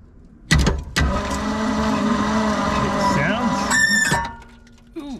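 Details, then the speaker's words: 1971 Ford F600 manual U-Haul truck, long stored: starter cranks with a thin steady squeal that fades when cranking stops; belts rusted and worn skinny from sitting on pulleys are slipping on the alternator. "Sounds good, except for that. Oh, it's just slipping on the alternator. It's just slipping because of these belts."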